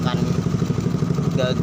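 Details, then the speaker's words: Honda Grand motorcycle after engine overhaul, faulty carburetor: quick, even idle pulses staying fast, idle too high; hard to shift down into neutral. "jadi seperti ini dia langsamnya jadi stasionernya itu jadi gede ya teman-teman Sehingga businya itu langsanya gede"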